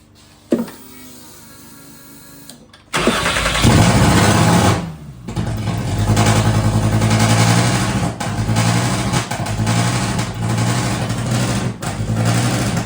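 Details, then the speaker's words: MK1 VW Rabbit with freshly swapped 2.5L 5-cylinder 07K engine, first runs: engine catches and flares, then revs sag and recover unevenly instead of settling, dying and coming back; owners suspect a large vacuum leak: hunting idle. "It sounds like it has a giant vacuum leak. Yeah, it's like cuz cuz it dies and then it like comes back."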